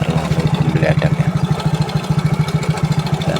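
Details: Yamaha Mio J scooter at idle before repair: quick even beat with light metallic clatter on every pulse; noise traced to slack cam chain, not piston or CVT.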